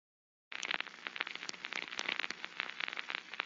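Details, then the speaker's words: Rolling bearing checked by ultrasound with structure-borne and airborne sensors: irregular crackling, popping bursts over a hiss; structure-borne sounds more mechanical, airborne more bubbly; both detect the bearing defect. "two different types of sounds a structure board sounds uh more mechanically and you know Airborne sounds more bubbly but nevertheless you can detect the bearing with either sensor"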